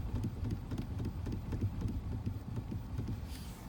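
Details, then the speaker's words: Chery Exeed TXL at 4,337 km, steering wheel turned slowly at standstill, listening underneath: dull, low knocks about four times a second, suspected play in the steering joints, abnormal for such low mileage, not confirmed. "вот я буду медленно крутить руль и будем я считаю что это не очень нормально как бы на автомобиле с таким пробегом что-то там не так"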